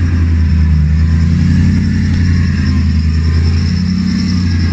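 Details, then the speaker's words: BMW M60B44 4.4-litre V8 hybrid build after refitting front end and fluids, breather vented to atmosphere: deep, even rumble holding steady with no knocks, ticks or rattles; running cleanly. "final video of the day all the front ends back on we've got fluids it makes a good noise [Music]"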